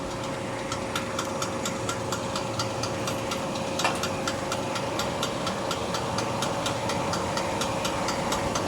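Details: Display chiller refrigeration compressor: steady hum with a quick even ticking knock about twice a second; worn compressor knocking, being replaced.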